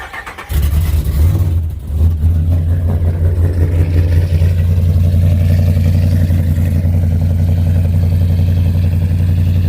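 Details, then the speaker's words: Whipple-supercharged, cammed Ram 1500 Hemi V8 start right after a new MBRP stainless cat-back exhaust with five-inch tips was installed: quick start into a deep steady burble with no rattles or buzzing; exhaust fixed. "no rattling fellas good oh exhaust is fixed"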